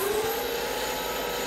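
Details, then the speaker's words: Lathe turning sintered tungsten carbide (a reduced end-mill shank) with a CBN insert at 0.03 mm/rev feed and 0.1 mm diameter reduction. First cut gives a steady, even hiss with no chatter or squeal; normal cutting sound. "okay first cut finish doesn't look too shabby the sound cuts through this the the cut sounds really nice it's really impressive"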